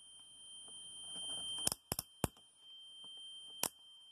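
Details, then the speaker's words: Multimeter used to measure an electric motor: thin constant high-pitched beep nonstop with handling clicks, as if measuring continuity on any setting; persists after battery removal, stops only when switched off. "queda pitando como si estuviese midiendo continuidad todo el tiempo así no importa donde donde lo ponga"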